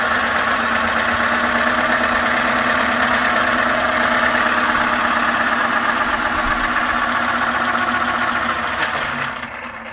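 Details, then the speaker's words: 3D-printed electric turbocharger at 100% full speed after greasing the gears: a steady high whir with no grinding or clatter, then a smooth spin-down. Normal running. "effort and yeah woo that turns out really nice this thing spins really well oh my gosh and oh yeah that is amazing"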